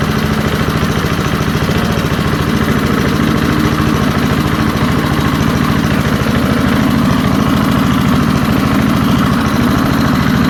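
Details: Early-1970s BF Goodrich push mower, a barn find that sat for years with a seized engine, now freed and running outdoors after carburetor diaphragm work: an even single-cylinder putter holding constant speed with no knocks or misses. Normal running.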